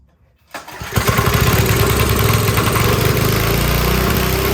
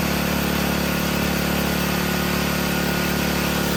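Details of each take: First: Briggs & Stratton 5 HP engine on a generator, after moving the governor adjustment all the way: engine catches and races at a high, hard buzz, never dropping back to idle; overspeeding. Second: Briggs & Stratton 5 hp generator engine after carburetor repair and adjustment, holding a steady, even beat at constant pitch with no surging or hunting; running normally.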